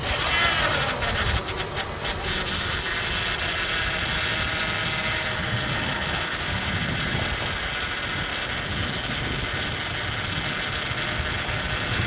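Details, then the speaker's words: Lexus RX330 idling after adding Lucas power steering stop leak, reservoir leaking badly: faint thin steady whine over idle; pump suspected dying, not confirmed. "all right let's turn it on so you can hear it whine see if it goes away"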